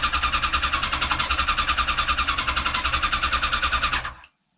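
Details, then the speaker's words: Restored, rebuilt 1989 Kawasaki ZX10 (ZX10B) before first start, HT leads disconnected: even rhythmic cranking without firing to draw oil, water and fuel into carbs, then stops; normal cranking. "Now I've just disconnected the HT leads because I'm going to turn it over a few times first, just to make sure all the oil, water, and more importantly the fuel is being dragged into the carbs."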